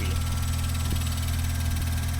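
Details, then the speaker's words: 1992 Mazda RX-7 FD3S rotary, after fantastic compression test and new OEM spark plugs and plug wires; smooth, even idle with steady buzzy drone, no misses or knocks, healthy. "The car came back nice and happy and healthy."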